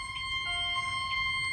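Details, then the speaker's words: Fire-Lite MS-9200UD test fire alarm system sounding various horn and chime strobes: high electronic horn tones overlap and switch at staggered moments; one horn strobe is out of sync with the other alarms. "horn strobe is not in sync with the other alarms."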